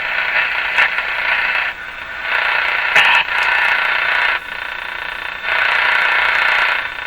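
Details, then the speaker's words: 1935 Rogers 7R622 tube radio with burned, shorted AM antenna transformer bypassed, tuned to 590 AM: hissing crackly static in bursts drowning the station, which is hidden under the noise. "that's better did you get rid of that noise there's the station hidden under the noise so this is actually a noise blocker the way i'm using it"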